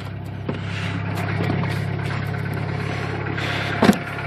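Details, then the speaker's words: 1997 Plymouth Breeze 2.0L four-cylinder on 10W-30 oil, cold start at about 35°F in winter with the check engine light on: faint quick ticking from the back of the engine at idle that goes away once warm; owner suspects a lifter or oil supply. "I can hear the noise. It's like a ticking noise from the back side of the motor, but I don't know what it's from. It might be a lifter and the oil getting to it, because I think it's still running 10W30, but I'm not sure, because the ticking noise goes away once it warms up."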